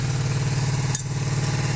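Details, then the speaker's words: 1982-83 Honda V45 Sabre after valve adjustment and carb refit, cold start: lumpy uneven idle with missing pulses, two cylinders not firing until warm; spark plugs or ignition coils suspected, not confirmed. "could be that it's something with the spark plugs or not it not really might be the ignition coils but anyway they do join in so once the engine warms up they do start to work as well"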